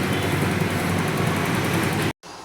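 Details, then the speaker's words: 2020 TVS Jupiter BS6 that started then immediately died after sitting three days, fixed by reseating a possibly loose fuel pump connector: even, steady low idle without dips or stumbling, no longer cutting out. "బండి అయితే idling కూడా ఆగిపోకుండా మంచి perfect గా నడుస్తుంది. ఇప్పుడైతే ఇబ్బంది లేదు."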